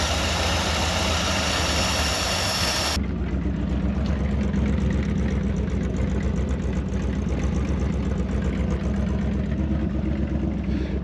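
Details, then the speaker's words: Early-1960s Ford F100 unibody shortbed V8 idling after 25+ years abandoned, burning off rat's nest debris; steady even low rumble with no knocks or misses, clearing up nicely, healthy idle. "this thing sounds good clearing up really nicely the thing was left for dead but we all know it it's just a hibernation"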